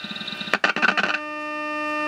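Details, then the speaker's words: GE tube radio running about 97.6 volts, 455 kHz signal injected into pin 5 of the 12BE6: brief crackly burst, then a clean steady pure tone without warble; the IF stage works fine. "that is the beginning of the I offer and you can hear how clear that is there's absolutely nothing wrong with the if' on this radio it's working fine"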